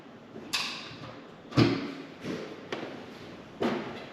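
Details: 1989 Volkswagen Cabriolet, first start attempt after sitting 2 years, after replacing mouse-chewed engine wire harness: a few sharp single clicks at the key, about one a second, no cranking; starter plug was left disconnected, starter had cranked before harness swap.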